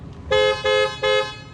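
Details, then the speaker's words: 2006-2011 Toyota Camry (2010) after replacing one horn with an aftermarket pair: three short, loud, bright steady honks evenly spaced; new horn working properly. "That sounds good for $25."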